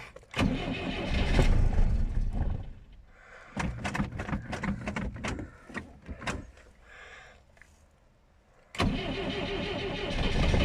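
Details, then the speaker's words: Moskvich 412 cold start at about minus 15°C with new battery: long laboured cranking with a couple of weak pops before finally catching and settling; hard cold start. "идем запускать признака жизни не дал два хлопка каких-то было"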